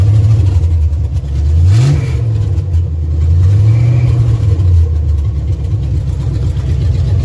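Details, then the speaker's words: 1971 Dodge B200 Tradesman camper van, 318 V8 with 727 transmission, unused since 1995, timing set by ear without a timing light: deep even V8 burble with throttle blips, good oil pressure, no knocks; normal idle. "good pretty good oil pressure [Music] not too worried about that don't hear any knocks out of the engine transmission seems to shift fun"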